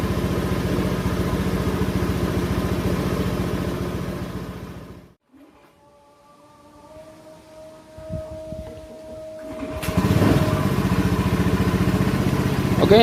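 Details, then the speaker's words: Honda Scoopy ESP scooter at normal warm temperature, closed throttle: steady single-cylinder idle for about five seconds, then the engine cuts out cleanly as idling stop shuts it down and the indicator blinks; working as intended. "Oke untuk stoknya ini sudah sudah hidup nah ini mati lagi karena aktif dia akan bergedip indikatornya"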